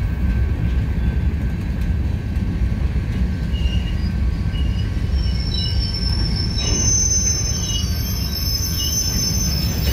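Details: Union Pacific 6644 freight train leaving Mesa Yard: high, sustained metallic wheel squeal and clanging over the rumble of slow-rolling cars before it stopped for repair; cause not evident.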